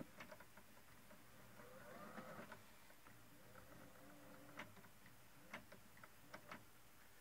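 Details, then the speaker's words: 1938 Zenith 9S262 tube radio after restoration, belts refitted on tuning motor: faint steady motor hum with light ticks as the dial turns; tuning motor running normally. "i'm gonna turn it on has a eye as a motor to turn a"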